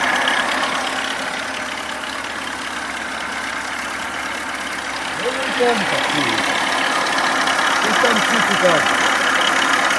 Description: ВАЗ 21011 стук в двигателе